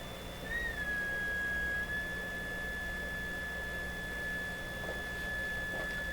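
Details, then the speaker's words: Hammarlund SP-600 double-conversion receiver during 455 kHz IF alignment, BFO just switched on with unmodulated carrier: clear steady whistle over faint hiss, BFO way off zero beat, needs L44 adjusted. "And we turn on the BFO. Wow, it's way off here. Okay, we shouldn't have any tone there."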